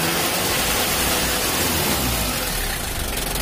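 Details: Mitsubishi L300 diesel with thick white smoke that vibrates at 2500–3000 rpm, held at raised revs: a harsh, crackly, rough, uneven beat caused by valve clearance out of spec and an air filter clogged by the damper.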